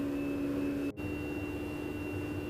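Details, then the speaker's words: BMW N54 335i with ignition on during a JB4 backend flash via MHD: steady high-pitched electric hum holding one even pitch with a brief dropout as the fuel pump kicks on and stays on; normal fuel pump operation. "Starting to prepare it and doing its full right. So you're gonna hear the fuel pump kick on and stay on, really."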